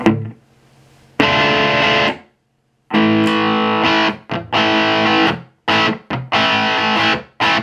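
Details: Peavey Classic 50 410 valve amp (3×12AX7, 4×EL84, 50 W), lead channel with EQ about noon: clean sustained overdriven notes and chords, no crackle, hum or dropouts; normal lead tone.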